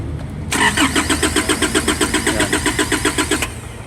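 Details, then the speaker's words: Foton Transvan (4GB1 engine) that died after a few km, with no check engine light and no ECU communication on scan: the starter cranks evenly at about four compression pulses a second for three seconds and never fires. Failed ECU relay causing crank no-start. "So ayaw siyang umandar. So pag ini-scan mo naman ano no communication yung kanyang ECU."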